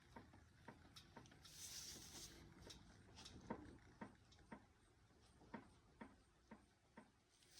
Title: What would you say is making this noise, front driver's side